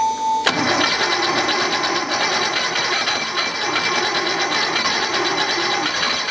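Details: 1969 Porsche 911T flat-six, first start-up after rebuild with rebuilt Marelli distributor, carbs primed, timing and carbs not yet tuned; starter whirrs briefly, engine catches into busy slightly uneven idle running on its own: engine start-up.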